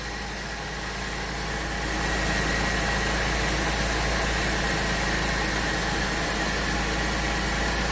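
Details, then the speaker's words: Pontiac 3.6 L V6 after a second timing chain and cam phaser replacement (bank 1 chain had been slack): even, steady idle with a smooth hum and no rattle or ticking from the timing chain end. "there you go it's done it's complete well for the second time in a row is back running"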